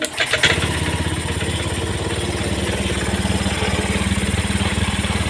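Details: Fuel-injected motorcycle that stalled with codes 7 (EOT) and 52 (CKP), after repairing the broken EOT 5V signal wire and replacing the CKP sensor: cranks briefly, catches at once, settles into steady even idle with no misfires.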